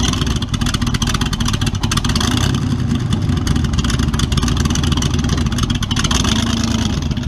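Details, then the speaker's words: Model A with a 350 small-block Chevy (hydraulic roller cam, 9:1), tunnel ram with two Edelbrock 600 cfm carbs jetted lean, in a driveway test: rough, uneven V8 pulses break up and bog when floored; owner unsure if rich or lean. "well see what i'm dealing with just falls flat on its face you put it to the floor can't have that"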